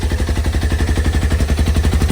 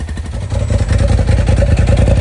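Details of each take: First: Polaris RZR XP Turbo S restarted after replacing a stuck-open fuel injector that was dumping fuel out the muffler: loud, fast, even popping about ten a second over deep engine note, likely excess fuel burning off; suspected. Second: Polaris RZR XP Turbo S running again after replacing a stuck-open fuel injector that dumped fuel out the muffler; fresh oil to clear fuel dilution. Strong, even engine note rising and falling with throttle, no misfire. Normal revving.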